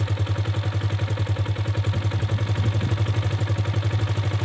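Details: 2021 Kawasaki KLX 150 G single-cylinder carbureted engine: steady, even thumping at a raised idle with no misses after turning the carburetor idle adjuster knob clockwise; turning it counterclockwise lowers idle again.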